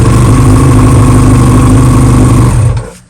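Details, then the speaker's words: 2000 Yamaha R1 (5JJ) hot restart: steady, even idle with smooth low throb, no knocks or misses, then shut off; starts right back up, indicating no cylinder liner issues, normal idle. "So bike starts right back up, which is great. So we have no underlining or any liner issues, I should say."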